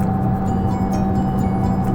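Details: 2014 FIAT 500 Pop at 55 mph on blacktop: steady low droning hum inside the car, with music over it, about 74 dB before repair versus 57 dB after; worn rear wheel bearings, replaced.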